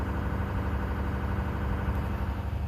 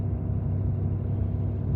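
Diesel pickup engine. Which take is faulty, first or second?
second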